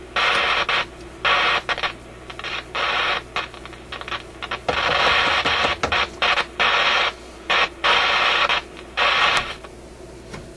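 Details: Canadian General Electric KM-5 vacuum tube radio, paper capacitors replaced, irregular hissy crackle bursts over a quiet hum, persisting with tuning capacitor plates separated; intermittent fault, cause unidentified, bad tube connections suspected.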